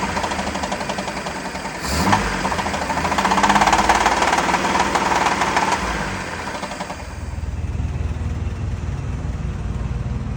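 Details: Blown Volvo Penta marine engine running: a heavy, rapid, fairly regular internal knock near three per second that persists through rev changes. Suspected rod knock, unconfirmed. The engine is getting a new long block.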